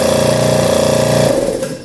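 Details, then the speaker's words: Used Schulz direct-drive air compressor that had an intense internal metallic noise, tested after tightening the screw the manual says must be rechecked: a steady motor hum with an even pumping note, no metallic knocking, then spin-down. Normal running. "Vamos fazer um teste como é que ele está sem barulho metálico pessoal só o barulho da compressão mesmo então a gente tá no caminho certo"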